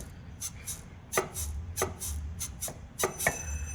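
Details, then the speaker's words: VW Gol-family car, suspension disassembled, lower control arm moved by hand: irregular dry creaks and knocks as the bushing turns inside its eye. Worse under the car's weight. Control arm bushing creak; fix is bushing replacement. "Pessoal esse rugido aqui que ocorre e eu tô fazendo isso aqui com a mão apenas movimentando aqui a bandeja agora vocês imagina o peso do carro vocês imaginam o peso do carro aqui em cima Esse barulho aumenta ainda mais esse rangido essa intensidade aumenta ainda mais"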